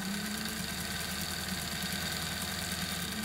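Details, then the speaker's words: Trix Collett 5600 model locomotive chassis on rollers, with a shoe wired to the rail, run on very low voltage in both directions; smooth, even hum with a thin steady high whine: motor runs freely, normal. "and if I just it down reverse the current and there we go so it's looking good there highly any voltage in that all so I think we're going to get a nice little Runner soon"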